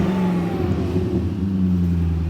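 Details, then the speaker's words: BMW E34 540i/6 V8 with stock cats, believed to have a muffler delete with an aftermarket resonator: a deep, smooth, steady exhaust drone held under revs, with no misses, knocks or rattles. A healthy-sounding V8 exhaust note. "though this thing sounds great I mean it sounds sweet so whatever the muffler setup is on this car is badass"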